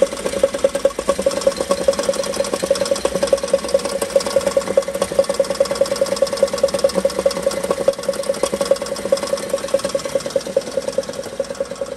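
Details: Holden/Chevrolet Commodore VF SV6 automatic: steady mid-pitched hum with regular ticking pulses about 1.5 per second over a quiet drivetrain; transmission noisy, cause unknown.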